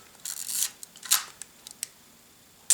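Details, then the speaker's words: Cleaned thrift-store film SLR (Nikon FE or Pentax K2), shutter set to about 1/1000: sharp quick mirror and shutter clack with no gap; crisp healthy fast-speed firing. "And I have it on automatic, that's why it's like pretty slow. You can hear that gap."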